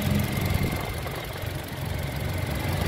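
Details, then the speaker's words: 2012 Toyota Kijang Innova G Luxury, 1TR petrol four-cylinder at idle: nearly inaudible, very smooth soft steady hum like a sewing machine, no ticking or knocking, dry engine with no seepage; healthy normal idle. "kode mesinnya 1tr suaranya nyaris tak terdengar ini masih alus banget teman-teman kayak suara Cuman suara mesin-mesin jahit ya"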